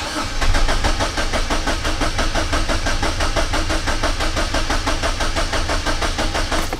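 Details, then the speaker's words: 2006 Suzuki Forenza with a single-cylinder misfire and weak spark from one waste-spark coil; clear-flood crank test, pedal floored, shows evenly spaced, equal-strength cranking pulses about five a second, so no compression problem. "nice, consistent, uniform cranking sound. This does not have, at least good enough to sell the job, this does not have a compression problem."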